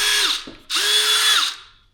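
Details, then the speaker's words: DeWalt DCD778 cordless drill, an old unit from a lot of three, on a battery test after repair with the screws back in. The motor spins up to a clean, steady whine twice without grinding or skipping, then winds down. The drill is healthy. "Nothing wrong with that. That is a a 4040 fix for a a nearly 150 year old drill."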